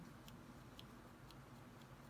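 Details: Known-good TRS-80 Model I keyboard switch held to the microphone: five clean, soft key clicks about twice a second, with no metallic rasp like the bad, sticking-plunger switches.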